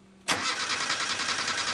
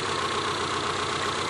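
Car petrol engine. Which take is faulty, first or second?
first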